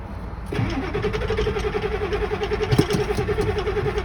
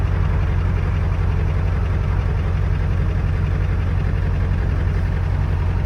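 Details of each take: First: 7.3 Powerstroke diesel, cold start after sitting about two weeks in colder weather, key cycled until wait-to-start goes off to heat glow plugs, clutch pressed: steady whining cranking without catching. Cold hard start. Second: 7.3 Power Stroke diesel truck just after cold start, unstarted about 2 weeks, cold weather, glow plugs cycled: steady, even low clatter without misses or stumbles; healthy cold idle.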